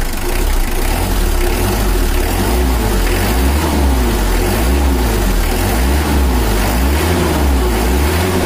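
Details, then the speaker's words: Brand-new Mitsubishi L300 diesel on factory injection settings, owner complains of heat at highway speed: heavy, lumpy idle with slow dull pulse, lazy and damp-sounding before tuning. "ini lemot ya loro terus suaranya agak sembab"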